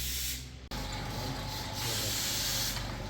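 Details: Fuel injectors from a 2013 Toyota Corolla Altis 1.6 with 182,000 on the odometer, knocking and slow starting, tested after ultrasonic cleaning: steady, even hiss of fine spray with no sputter or dribble; spraying normally.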